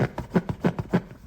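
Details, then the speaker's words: Kia Rio X front seat, pressing the seat bolster by hand: short low creaks about three a second, one per press, from seat foam rubbing the bare seat frame with no pad; later fixed under dealer warranty. "А вот здесь смотрите просто ужас соответственно если вот сюда давить это место играет и опять же происходит этот скрип"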